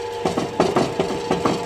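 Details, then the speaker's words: Worn Goliath power hammer, not in good condition: loose paired clattering knocks, roughly six or seven a second, ride over the running hammer, a worn, loose rattle of unknown source. "You can hear that rattle."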